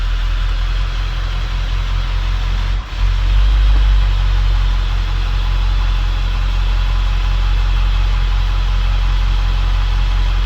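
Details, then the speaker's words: Ford 7.3L Powerstroke diesel 1-ton dump truck after valve cover gasket repair fixed the problem: warm idle with firm even low rumble, no misses or stumbles; sounds much better, smoked briefly at first. "But truck sounds a lot better."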